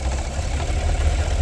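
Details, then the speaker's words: 2017 Cadillac Escalade gasoline V8, 126,000 km, rough running despite new plugs, coils and O2 sensors, check-engine light on: lumpy, uneven idle with irregular stumble; scanner shows cylinder 2 misfiring steadily, cylinder 8 weakly. "2번 쪽이 지금 실화가 되고 있고 8번도 약하게 실화가 올라옵니다 그죠 시라가 올라와요"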